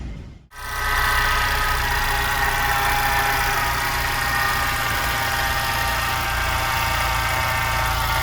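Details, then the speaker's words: VW Jetta MK5 idling right after cold start with regular knock, about three or four a second, that then disappears; source unknown. "yeah so basically after i start up the car i show the there's a there's a regular sound like something knocking on the engine and then it disappears"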